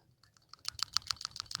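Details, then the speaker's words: 2004 Toyota RAV4, 2AZ-FE engine, over 258,000 miles, burning oil: original PCV valve removed and shaken, crisp light clicking about eight to ten rattles a second; check ball moves freely, not stuck. "I don't know if you can hear that. It does move back and forth."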